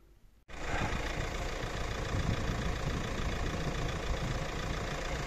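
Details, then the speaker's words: Fiat Doblo 1.9 JTD diesel (Opel Z19DT) after a capital rebuild for engine knock, with a scored cylinder and piston marked by a valve, plus a new clutch; warming up: starts cleanly, even steady idle with no knocking. "ну шо мы ласточку собрали что я могу сказать звук совсем двигателя совсем вообще не узнать даже прогреваемся"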